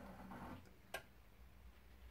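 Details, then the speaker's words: A+R boiler with F75 fault, demand switched on: single sharp relay click meant to start the pump, no pump hum follows; pump not turning, pump diagnosed as the failed part, leading to F75 fault code. "was up click this represents the pump ship supposed to be turning"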